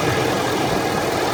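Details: Ford F350 diesel truck, engine and transmission fully warmed up: steady thin whine over a rough diesel idle, heard from the top of the engine near the black box, driver's side or center; dealer claims transmission, cause unfound.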